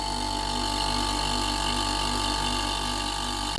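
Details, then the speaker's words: Whirlpool 8 kg dryer compressor, belt and motor removed: starts and runs with a steady, even hum and whirr, no rattle or rub. A tube vibrating and rubbing had been moved away earlier. Compressor running normally. "Ok compressor started eh we can hear the noise let's wait a bit to see if it heats up the delivery"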